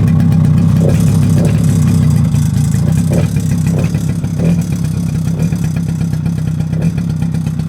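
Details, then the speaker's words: Mid-1990s Suzuki LT50 two-stroke quad after refitting the old spark plug, very smoky from two-stroke oil in the fuel: busy rattly idle with throttle blips picking up cleanly and settling back; running much better than before. "Very smoky because it's running 2-stroke in the fuel as well as in the tank, you see. Yeah, it's a lot better than it was."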